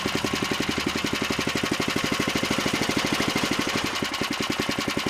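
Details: Old small engine on power equipment saved from the dump, throttled down after a choke start to see how low it will idle: even firing pulses at about eleven per second with no misses or knocks; normal low idle.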